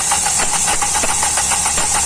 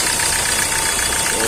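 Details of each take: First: Hyundai i20 CRDi 1.4 diesel with Delphi injectors, low rail pressure (P1186), no codes initially: rapid even cranking about three beats a second, never catching; excessive injector return keeping rail pressure low causes the no-start. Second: Hyundai i20 CRDi 1.4 diesel, Delphi injectors, after replacing the injector with excessive return that caused low rail pressure and no-start: even, steady idle with no misfire or injector rattle; normal idle after repair.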